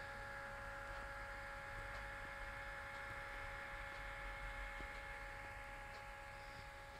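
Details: HP ProBook 430 G4 (Y7Z51EA) laptop running very loud: steady whirring hiss with a couple of fixed whining tones that never change pitch; cause unclear.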